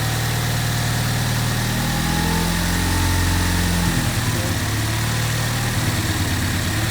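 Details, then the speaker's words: Ford EcoBoost engine, first startup after reassembly: a rough, lumpy, uneven idle. Cam timing was slightly off because the crank was not locked at top dead center with the crank stop pin; the engine was later retimed. "so I decided to go ahead and pull it apart and retime it which the issue was I didn't put the crank on the crank stop Pig which is what you have to do when you time it to make sure everything's at top dead center I didn't do that it was slightly off"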